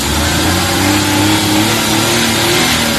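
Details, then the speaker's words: Suzuki K6A engine after IACV idle-up fix for AC-on idle vibration: steady, slightly raised idle with faint tone wandering above, speed even under AC compressor load; no vibration, sounds healthy. "So ayan nakita niyo wala ng vibrate medyo tining na yung andar Okay na siya anan Wala na"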